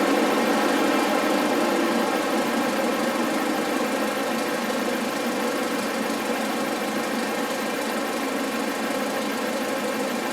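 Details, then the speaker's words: Audi A4 2.0T idling smoothly and evenly with a steady hum and no chirp or squeal, after replacing the failing crank pulley/harmonic balancer that chirped on cold starts for about 20 minutes until warm, following a new serpentine belt. "so that looks great no more chirpin which which is awesome"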